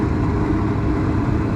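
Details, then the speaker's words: Garage heater converted to propane, first fire-up after wiring thermostat, manometer later reading 10: steady, even low roar with no sputter or popping; burner lit and burning well. "Burning real good."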